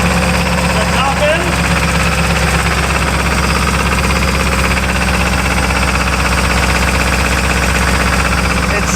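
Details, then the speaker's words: Barn-find Pontiac eight-cylinder, revived after sitting about 20 years, with points ignition and the oil pressure light on: fast, busy clatter over a loud, steady idle at crank cadence; top-end ticking suspected, after earlier sticking valve guides. "sounds like top end, I think. Exhaust sounds nice though."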